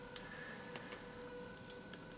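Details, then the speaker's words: Small DC motor driven by Arduino through L298N module with pulse-width modulation on pin 9 at low speed, reversing direction every second: faint thin steady whine with light ticking underneath; PWM whine at low duty cycle. "now you can hear a little bit of a whine from the motor and that's the pulse width"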